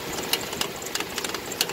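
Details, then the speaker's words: Dodge Dakota engine after oil pump and bearing work, warming up at idle: light, uneven metallic clicking from the belt area at the front, not found with a stethoscope; owner suspects the water pump. Ticking later became less frequent. "I'm not sure if you can hear that nasty clicking the rattling but I went around with a stethoscope and I can't really find it but I know it's somewhere on on this belt"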